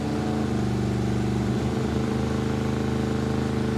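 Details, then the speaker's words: Junkyard 1957 Chevy Bel Air with small-block V8 and Turbo 350, after fitting an aftermarket HEI distributor: even steady V8 burble, clean low throb, hesitation gone except one small stumble. Normal running. "that's the best it's sounded no more hesitation except for that little one [Music] yeah dude so much smoother"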